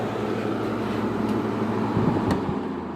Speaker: yep you can't even hear that compressor